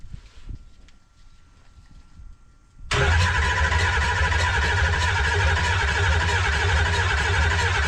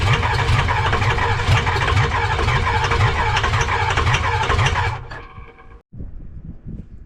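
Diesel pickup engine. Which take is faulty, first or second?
second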